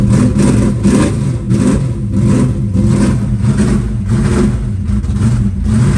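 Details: Green Chevelle just cold-started at about 20°F in snow, static compression just under 14:1: a steady, lumpy loping idle with an even pulse and no misses or knocks; idling fine cold without choke.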